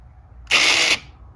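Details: 2004 Arctic Cat 400 4x4 actuator (0502-296) after installing a new relay, switch plugged in, key on: crisp half-second small-motor whir with no grinding or stalling as it cycles between two- and four-wheel drive; working normally.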